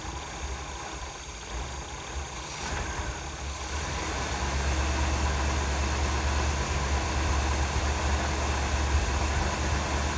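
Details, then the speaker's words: 1977 Pontiac Grand Prix, abandoned non-runner revived, pushed outside after first runs: low even rumble settling into a quiet steady V8 idle with no popping, misses or ticking; carburetor possibly a little gummy, engine judged healthy. "but my Lord, that's quiet. And you know, you got a little bit of condensation dripping out of your tailpipe, but there is plenty coming out of there and zero pop."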